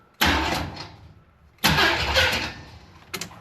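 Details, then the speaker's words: 1978 Jeep Cherokee, AMC 360, ignition off after home-built TH400 install: two short starter bursts crank engine without firing, clean engagement, no grinding; starter sounds as it always has, normal. "That's what it's always sounded like. So, we're in business there."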